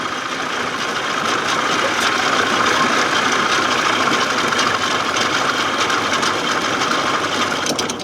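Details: 1979 Evinrude 55 hp outboard, cold, not yet warmed up, on choke: uneven, ragged, stumbling idle that sags as if to stall; primer bulb empty, owner hopes fuel pump is just weak at idle.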